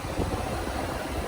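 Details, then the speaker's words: 2008 Infiniti M35 at key-on, ignition not fully on, AC off: steady whoosh and low hum of the radiator fan running constantly every time the car comes on; cause is a failed fan control module. "That fan just runs every time the car comes on. And it's the fan control module."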